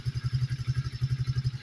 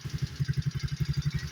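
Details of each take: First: Coleman AT125EX ATV after a new intake, airbox and carburetor and a fix to a throttle cable with no slack that caused a high idle. Single cylinder thumps evenly at about four beats a second: it starts well and idles cleanly. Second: Coleman AT125E four-wheeler single-cylinder engine idling after a tune-up with the carburetor dialed in: steady low thumps with a faint light tick from an exhaust or intake valve, needing valve adjustment.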